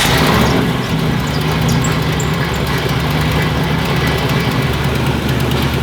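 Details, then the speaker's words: Turbo 5.0 V8-swapped Ford Ranger with no blow-off valve, after repair of a blown engine: deep, steady rumble at low revs with a slightly uneven beat that holds speed; one person says it is not running great, but it is running acceptably. "Maybe he's just not used to having something run so good that you don't understand that, like, you know, I don't know."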